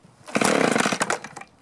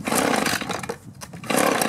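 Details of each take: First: Echo two-stroke leaf blower that started then died, after aftermarket carburetor, new plug, fuel filter, clear spark arrestor, unscored piston and freed gummed primer bulb: fires on choke, crisp buzzing revs evenly; running properly after repair, fuel tank vent suspected cause. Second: Echo two-stroke blower with aftermarket carburetor, new plug, starts then dies: raspy revs sag and nearly die then recover; fuel starvation, carburetor suspected clogged or gummed.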